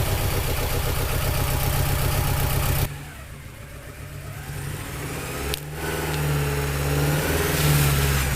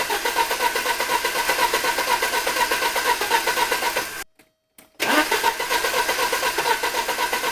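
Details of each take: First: 1983 Porsche 944 Turbo after a new fuel pump and relay and an oil change, running once it was cranked longer. It idles steadily, drops back, then revs cleanly with no misses or knocks; it runs and drives, smoking slightly. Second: 1983 Porsche 944 Turbo with a dead battery, cranked from a jump pack, after a new fuel pump and relay were fitted; the fuel rail gauge shows pressure. Long, steady cranking at about four turns a second with a brief pause; it never fires, cause unknown.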